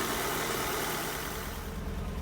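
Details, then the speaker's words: Petrol engine idling unevenly, its low beat stumbling with audible gaps: the misfire is back after warm-up and the engine management light has come on. "Yeah, something's still up, so this is how you can really hear exactly what it's doing. So you can hear the gaps there. Right, it's running terribly. The misfire is back"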